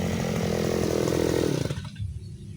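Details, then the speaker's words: Side-mounted two-stroke grass trimmer with blade while the carburetor is still on the line mixture setting, cutting grass: busy buzz sags and fades under load instead of pulling; incorrect carburettor mixture setting, lack of power. "Lihat sendiri kan, boleh, memang boleh, tapi tenaganya tidak ada guys ya."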